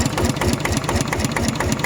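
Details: RT 90 plus single-cylinder diesel walk-behind tractor on a KS 72 frame, after a problem nail was removed: an even chug at about seven beats a second with no rattle, idling smoothly and healthy.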